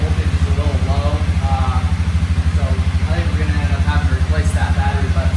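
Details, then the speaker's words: Suzuki King Quad 750 ATV with an electrical issue (won't restart until fully cooled, dies off throttle): after the fuel pump cycles, it starts with little effort and settles into an even thump of about three beats a second with no misses. Normal idle. "started up. Didn't take much of an effort at all there."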